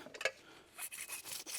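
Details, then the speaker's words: BMW E85 Z4 M Roadster (S54 inline-6), about 120,000 miles: rough gritty rasping as the removed strut mount bearing is turned by hand; bearing completely worn out. "the bearing is completely shot. Listen to that."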